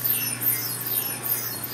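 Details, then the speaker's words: Keck Array pulse-tube coolers at the South Pole observatory lab, chilling two cameras being retrofitted: soft rhythmic squeaking chirps over a low steady hum as the helium cycles; normal operation. "well I record this so you can hear that squeaking noise which is the sound of our pulse tubes making these cameras cold"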